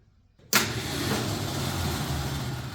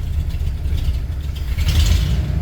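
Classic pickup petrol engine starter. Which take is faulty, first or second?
first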